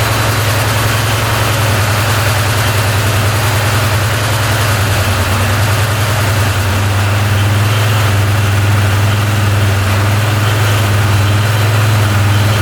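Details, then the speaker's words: 2013 Arctic Cat Wildcat 1000cc UTV after valve covers reinstalled and timing corrected: strong, even low thump at fast idle, now running on both cylinders with no stumble; previously ran on one cylinder, wouldn't idle, bogged. "there we go she's running on both cylinders"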